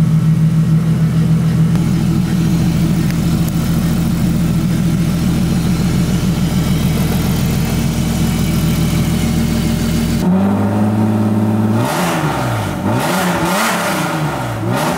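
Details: BMW E36 with freshly installed M52B30 inline-six, first run after the swap with the EWS bypassed: steady, even idle with a smooth low hum, then quick throttle blips that rise and fall cleanly without stumbling. Healthy.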